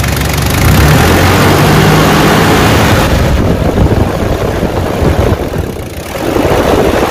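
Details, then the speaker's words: Toyota 1KZ diesel with bigger turbo, after refilling the viscous fan hub with correct silicone oil, idling: even idle under a strong, steady rushing roar of air and loud induction noise; viscous fan clutch engaging and pulling hard as it should. "hear that now you can distinctly hear that fan noise it's got a pretty loud abduction on this thing since a bigger turbo has been put on"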